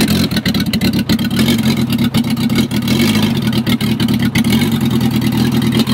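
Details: Gutbrod 1050 tractor fitted with a used VW Polo diesel engine the day before, first start attempt: engine catches and runs at a steady, even idle with a regular low chug and no misses; healthy first start.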